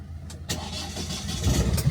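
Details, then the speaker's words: Ford 1.5 DV5 EcoBlue diesel that had sat a while, first start after cam belt replacement and repairs: catches on first crank into steady, even, quiet idle with no more knocking; normal start. "Oh, that is beautiful. That is a dub. That is a fucking dub. Oh, listen to that, mate. There's no more knocking to that. That is one beautiful singing engine."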